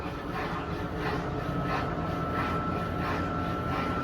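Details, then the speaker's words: Electrolux LS15 15 kg washing machine whose owner reported loud noise on spin, after two small loose parts found inside were removed: steady even whoosh with faint constant tone, no knocking or scraping; normal spin cycle. "não fez o barulho Tudo indica que tá tudo normal"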